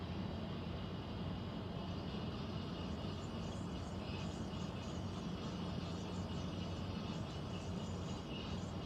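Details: Central air conditioner air handler, apparently above the bedroom closet, making a constant low droning hum with faint higher hiss; owner questions a possible leak; abnormal noise, cause not confirmed.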